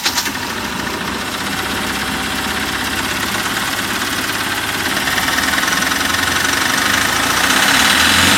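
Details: Mahindra Maxximo common-rail diesel after injectors refitted, air bled and wiring taped: steady, even clatter at about three and a half beats per second, holding a smooth, healthy idle.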